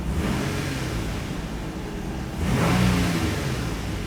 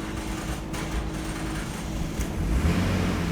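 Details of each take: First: 2002-2006 Nissan Altima just after fuel pump module replacement: slightly hard start from air in the fuel lines, then smooth idle that picks up cleanly on a throttle blip and settles back, with no misfire. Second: 2002-2006 Nissan Altima after fuel pump module replacement, first start: rough, uneven crank then catches into a ragged idle; hard start expected from air in the fuel lines after the pump job.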